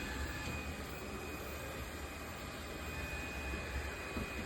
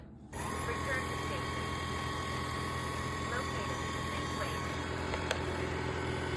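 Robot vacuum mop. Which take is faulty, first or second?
second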